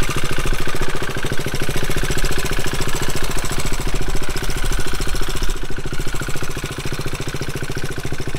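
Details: Single-cylinder motorcycle at idle: rapid, sharp metallic clacking locked to the idle beat over a loud thump. The engine was apparently run a while on the wrong oil, and metal chips were found. Chips will be rechecked after 500 miles.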